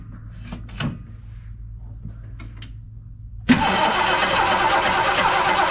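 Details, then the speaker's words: 1973 Ford LTD V8 parked in a barn about 38 years, first start: a few weak cranking clicks, then it catches and runs loud and rough with a clattery top-end noise; noisy running after long storage. "it started sound a little noisy but it started"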